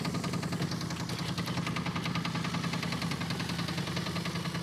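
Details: Steady V8 idle with a sharp, regular knock about two or three a second; a deep knock from inside the engine, with gunky, stuck lifters suspected.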